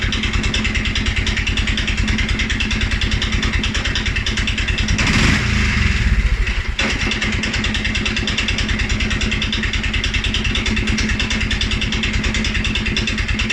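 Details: 2011 Polaris Sportsman 550 XP, EFI: low uneven single-cylinder thumps about three per second, brief blip and stumble; stumbles cold on startup and after riding or revving. Dealer found TPS, IAC, TMAP in spec; valves, timing, new plug, 43 psi fuel pressure good; cause unknown.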